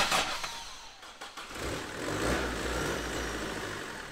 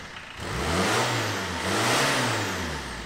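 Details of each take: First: Vauxhall Astra van, freezing cold, first start attempt: catches, fades and dies, then fires again and briefly picks up; won't stay running or rev up, battery tested at only 11 volts, low voltage suspected. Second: Astra van diesel after pump adjustment, pump part held with cable tie: two clean rises in revs from idle that pick up quickly and settle back evenly; now revs freely, normal.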